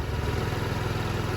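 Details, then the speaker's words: Idling 2007 Diamo Retro 50 scooter with a GY6-type single-cylinder engine, with a new intake tube fitted between the airbox and carburetor, on non-ethanol fuel. Steady, even putter with no knocks or misses: the engine is running fine. "She's purring just fine. Non-ethanol fuel, by the way."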